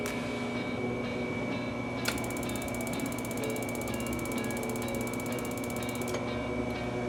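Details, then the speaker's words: XLT conveyor pizza oven, version F-to-current control box: after fan starts and red flash then solid green light, ignition module sparks with rapid even ticking about four seconds over fan hum; normal. "so there you can hear it spark and and those are going to be some things that we ask you is okay do you hear it spark"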